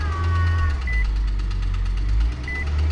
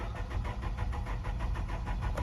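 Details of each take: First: Nissan Altima 2.5 that wouldn't run, now started after fresh NGK spark plugs and oil squirted into the cylinders; fires and settles into a steady low rumble with a couple of short chirps. Suspected fouled plugs and fuel-washed cylinders. Running properly now. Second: 2013 or 2014 Nissan Altima 2.5 cranks steadily with an even starter chug but never catches; check engine light on with fuel level/FTT sensor circuit codes; no fuel delivered because the wrong fuel pump was fitted.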